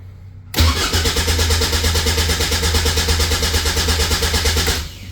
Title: Caterham 7 620S - cold, no start